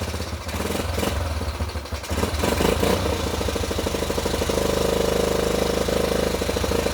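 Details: Fully rebuilt, nearly 40-year-old Yamaha Badger YFM80 single-cylinder ATV, first start, choke turned off: catches after a couple of seconds, then steady putter, valves much quieter, a little smoky; normal idle.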